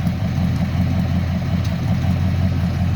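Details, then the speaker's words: 1963 Mercury Comet S-22 with newly fitted exhaust pipes and MagnaFlow-copy mufflers. Deep, steady burbling idle with an even low rumble and no ticking or popping. The owner finds it too loud under load, like a Harley. Normal idle. "I took it to the muffler shop, and I think I forgot to tell you guys. I got the pipes put on, got the mufflers put on."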